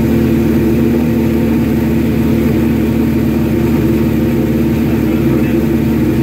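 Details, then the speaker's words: Suzuki GS1100E Mr. Turbo, first start after not running since 1996, after a couple of squirts of starter fluid, running on choke: a steady, even four-cylinder run with a smooth exhaust note and no knocks or misses. Healthy; jetting still to be set on a dyno. "34 years, 1996. Hasn't run. Couple squirts, a little choke."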